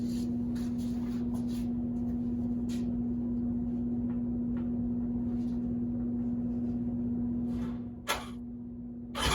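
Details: Three-cylinder 1100 engine with the two outer spark plugs removed: steady low even hum idling smoothly but thinly on the middle cylinder only; starts and runs reliably this way, fault not found; running on one cylinder.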